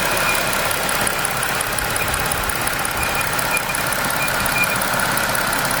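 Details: 2025 Jeep Wrangler Pentastar V6 idling with a thin, high whistle that fades in and out, at first taken for escaping air or a bad pulley; an air-movement noise from a faulty PCV valve, cured by fitting the new-style valve.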